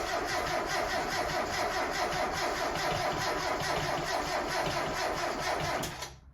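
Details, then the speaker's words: 1992 Mazda Miata NA engine after reassembly, first cranking in neutral with clutch depressed to get oil onto pistons: labored starter whir with uneven compression pulses about two per second, never fires. Slow, weak cranking; low battery suspected, jumper pack fetched. "then would i have enough battery we don't no it sounds kind of weak try it again"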